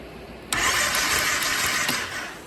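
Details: 2006 Kawasaki Brute Force 750 4x4 ATV cranking during a spark check: a light, free whir for about 1.5 s with no firing, so it cranks but won't start. Both plugs get spark. A fuel-delivery problem (pump, screen or vacuum lines) is suspected.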